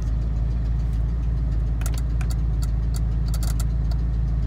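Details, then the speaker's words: 1992-96 Ford F-150/Bronco electronic 4x4 after replacing the transfer case control module: steady idle rumble with a few sharp light clicks as 4x4 engages and dash light comes on; normal relay clicking. "i don't know if you can hear was a truck running it was doing that clicking sound when it engaged if that's not working that it will not make a sound it'll not light up"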